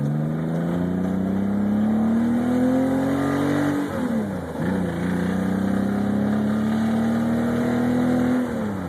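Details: BMW 327i running lean under load (18–19 AFR, fuel pressure shaky 25–40, intermittent, new AFM): engine pulls up through the revs, eases, climbs again, with a loose knocking/rattling riding on the note. Knock appears when lean and is unaffected by higher-octane fuel.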